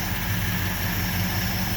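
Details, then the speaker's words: 1970 Ford F250, 360 FE V8, carburetor of unknown make (possibly wrong one for engine), being tuned with vacuum gauge, smells rich: steady, slightly lumpy idle; float overfilling, gas pouring out top/overflow, something sticking inside. "that was weird the gas was pouring out the top of that though didn't like that"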